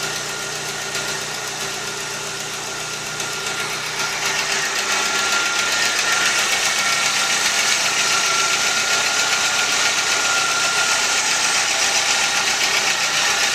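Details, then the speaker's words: 2001 VW Gol 1.0 8V AT engine, fully rebuilt at 155,000 km, at cold idle: fast ticking about three to four per second that rises with revs, then stops; mechanic suspects the exhaust gasket. "alguma coisa tá batendo olha t t t t apesar de ser um motor já de 150.000 km rodado eu acho que esse barulho não é normal entendeu não é normal"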